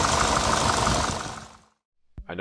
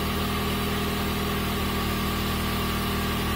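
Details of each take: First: Chrysler PT Cruiser GT engine started the morning after a two-hour drive: heavy, rapid diesel-like clattering knock over a rough idle; sheared cam pin left a valve stuck open. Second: Chrysler PT Cruiser GT turbo engine after an urgent repair for a diesel-like noise, valve cover not fully tightened: steady even idle, smooth low hum, no clacking or knocks; ran great afterward.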